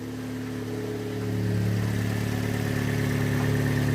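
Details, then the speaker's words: 2015 Fiat Panda 1.2 petrol with prior crank-no-start from active immobilizer, after repair: engine catches and settles into smooth, even idle with steady low hum, no knocks or misses; a warning light remains on. "Right, ignition on. So it should start. There we go. Look at that. Okay, we have a warning light and a thing in there, but it is working."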